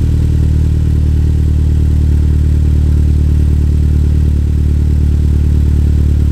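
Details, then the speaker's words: Gen 6 Toyota Celica GT-Four, about 26 years old, idling after a new GT Four Play exhaust replaced the old cat system; low, steady rumble with an even beat, no misses or rattles: normal idle. "but that's got a good note to it"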